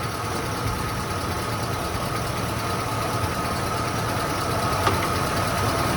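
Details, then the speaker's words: 1993 Ford Bronco V8, newly installed engine on first start, coolant not yet filled, building oil pressure: even idle with faint valvetrain noise, no taps or knocks; lifters/rocker arms likely adjusted properly, timing possibly slightly off. "I don't hear any taps or knocks. Sounds like the lifters or the rocker arms are probably adjusted properly."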